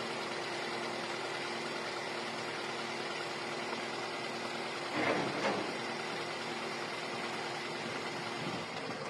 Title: Camry 2.4 engine misfire